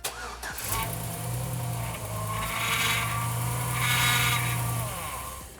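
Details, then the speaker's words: 2007 GMC truck with 4.3 engine running, groaning whine rising and falling from a noisy power steering pump; belt, lines and fluid inspected, pump judged bad and replaced. "we've all heard this noise before and we've already inspected the fluid so we know the pump is bad we'll have to install a replacement"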